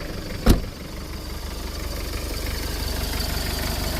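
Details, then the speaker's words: 1996 Mitsubishi Strada 2.5 turbo diesel with a 12 mm injection pump, engine warm. It starts easily and settles into a steady, even diesel clatter with no hunting and no smoke: a normal idle. "นะครับเดินนิ่งไม่มีหอบปั๊มสายนะครับ"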